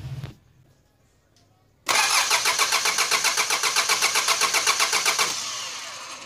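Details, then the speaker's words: 4D56 diesel cranked with the injector fuel lines deliberately loosened to confirm the pump delivers diesel: even starter cranking about four turns per second for over three seconds, never firing; diesel squirts from the lines. "the engine is only going to crank and it's not going to start because we have loosened up this fuel"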